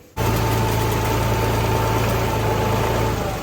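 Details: Small diesel tractor engine catching at once and holding a steady, even beat with a low hum, after a shorted, burned-through wire was temporarily replaced with an extra wire; runs fine.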